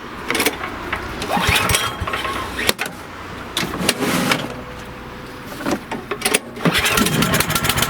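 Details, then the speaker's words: Cub Cadet snowblower that only ran on choke, after a new MTD 651p05995 carburetor, started outdoors by hand pull with choke on and primed; it fires and runs with a sharp steady buzz rising as throttle opens, sounding healthy. "Choke's on, keys in, I will prime it, and hopefully this thing runs properly."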